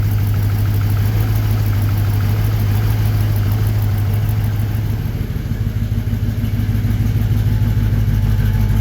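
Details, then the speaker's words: 1954 Chevy 3100 V8, light rev at idle: lumpy uneven exhaust pulse stumbling regularly, one cylinder not firing, which one unknown; owner plans to check injectors. Misfire. "Firing on one of the cylinders. I don't know which one. We'll have to check the injectors."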